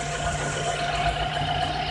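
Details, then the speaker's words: Car at idle after loosening overtightened drive belt (alternator and power steering tension): smooth steady idle, no squeal or chirp; belt noise caused by too much tension, now gone after adjustment. "Sikip yung brake kanina, ngayon diluwagan, ngayon wala nang ingay. Ang sikip na kanina, ngayon diluwagan, wala nang ingay."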